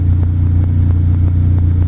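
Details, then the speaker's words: Pontiac Solstice turbo engine at its first start-up after an EFR turbo install, running the OEM tune. It ran a little rough at first, then settled into a smooth, deep, even idle with no misses or knocks. The owner heard an odd noise at startup. "Oh Austin smooth very nice well that's good news"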